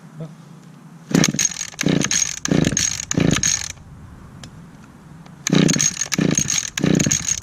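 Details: 2010 Echo HC 150 hedge trimmer, carburetor had previously failed, probably unused since late spring, started on choke with primes: small two-stroke buzzes up crisply in short throttle blips and drops back to a steady idle; normal running.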